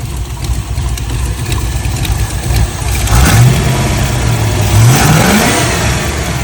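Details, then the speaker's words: MGB GT with Rover V8, ignition advance set with strobe lamp and idle lowered; sharp throttle blips rise cleanly without stalling, previously stalled on every hard blip; normal revving. "voilà, le moteur ne cale plus alors que jusqu'à présent, il calait à chaque fois. À chaque fois que je donnais des gros coups d'accélérateur."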